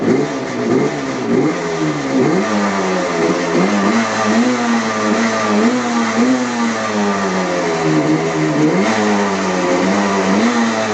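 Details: 1975 Yamaha RD350 two-stroke after its points were replaced with an HEI ignition and a sticking throttle cable was fixed: crisp note revving up and falling back cleanly, with even firing and no misses, pops or rattles; running healthy.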